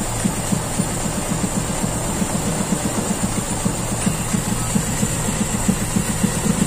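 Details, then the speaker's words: Toyota Kijang Super carbureted petrol engine with unstable idle; cylinder 4 plug found wet, not firing. Idle stumbles with uneven, lumpy pulses and no steady rhythm; a false-air vacuum leak under investigation. "kita buka lagi nomor empat Apakah businya mati ini karbunya udah cukup nanti kita analisa dari mana penyumbang angin palsu ini tadi"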